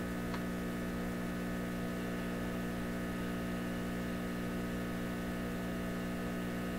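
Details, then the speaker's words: PYE 39HC shortwave broadcast tube receiver on AM band, original tubes, baseline test before any changes; steady low buzzing hum, constant throughout, coming through the audio stage. Mains hum, source not yet identified. "Where's this hum coming from?"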